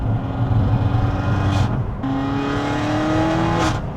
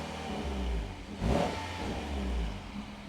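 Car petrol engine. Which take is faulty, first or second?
first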